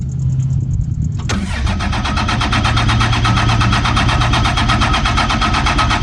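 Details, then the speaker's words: 2007 Ram 2500 4x4 dually diesel, first start after installing Flux 103% over injectors; starter cranks briefly, catches at once, settles into steady even diesel idle with no miss or knock, injectors fixed it; normal start and idle. "how happy are you the way it sounds right now man it sounds really good oh yeah baby she's healthy she's happy injectors do the trick"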